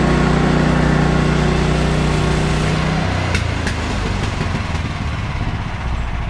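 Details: Bandsaw mill cutting 3/4 x 6 inch boards with a reduced Pine-Sol blade lubricant; excess had likely made the blade slip off the bandwheel belt. Steady low engine drone under load, clean even cutting pitch, no knocks or chatter; cutting normally.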